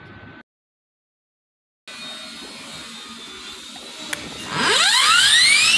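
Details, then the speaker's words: Tank 9-inch angle grinder: motor spins up with a rising whine into a loud, harsh, high-pitched gear noise from the front head. The suspected but unconfirmed cause is damage from someone hammering the nut to open it. "इसमें जो इसका front head है उसमें से काफ़ी आवाज़ आ रही है, तो किसी ने इस दोस्त ने इसको चोट से इसका नट जो है वो ओपन किया, जिस वजह से इस पे फ्रंट हेड में प्रॉब्लम आई है।"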